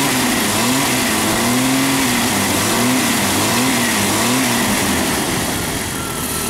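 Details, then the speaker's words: Jeep Cherokee 4.0 after a tune-up with new plugs, wires, cap and coil wire, previously a random-misfire check-engine light: loud idle wavering about once a second; somewhat better but still rough, owner suspects an injector. "does a little better it seems to be running a little bit better we're gonna take it for a test drive it's still got a little bit of a mess it feels like maybe injector or I don't know"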